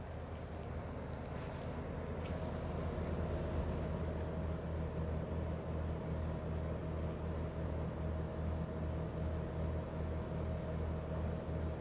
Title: Daikin Altherma buzzing noise long video